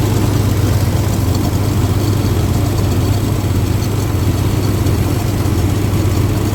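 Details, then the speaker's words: 1962 Dodge M37 with old petrol six, first run after sitting 45 years, on temporary fuel feed: low, steady rumble with an even beat, no knocking or ticking, idled down lower; normal idle. "Pretty quiet. Not bad at all. See if we can idle it down just a little bit more."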